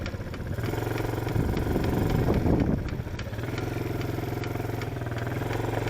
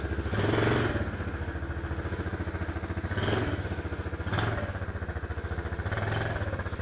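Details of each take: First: Chinese ATV, small single-cylinder engine: light quick clicking, three or four a second, only when driving forward, not in reverse; owner suspects transmission, cause undetermined. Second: Chinese ATV being ridden in reverse: the small engine pulses steadily and swells with throttle with no clicking; the clicking fault occurs only going forward, and a transmission cause is suspected.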